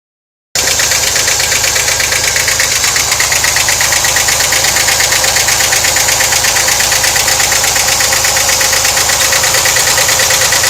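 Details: 1991 VW Vanagon 2.1L WBX at idle: loud sharp steady ticking about three per second from left side of engine compartment; owner suspects hydraulic lifters, unconfirmed.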